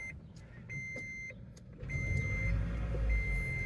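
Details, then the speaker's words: Toyota Prius with customer-reported knocking on startup, suspected head gasket leak not proven: dash chimes beep, then engine catches and revs smoothly on a cold start with no knock or tapping; normal cold start, complaint not reproduced. "yeah no noise yeah I don't know what that noise is that she's complaining still can't y oh well at least I got the windshield put in"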